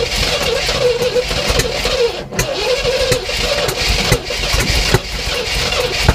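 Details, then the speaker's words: 1967 Oldsmobile Toronado with new spark plugs, plug wires, oil and filter, fuel poured down the carb, throttle being pumped; steady churning crank with uneven puffs that never catch, no start, likely fuel delivery. "okay so you're doing really good yeah yeah so keep pumping like that and then when it sounds like it wants to run i think just hold the gas down okay so that's gonna let a bunch of air and the rest of the fuel in to get it kind of running"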